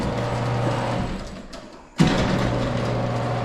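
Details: Garage door opener during service call, dials turned up: steady low motor hum cuts out briefly then restarts smoothly, no grinding or straining; opener works normally.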